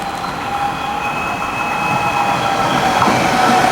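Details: M100 metro train slowing on mechanical disc brakes, used because rheostatic brakes had problems, with steady high squealing over rolling rumble: disc brake squeal.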